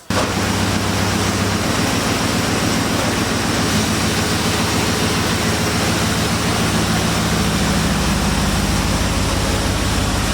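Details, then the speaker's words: 2002 Dodge Durango heater blower after blower motor and resistor work, stuck on defrost: strong steady air rush with smooth low motor hum, no squeal or rattle; speed settings act reversed. "Got some actual air now. You can actually hear the air now."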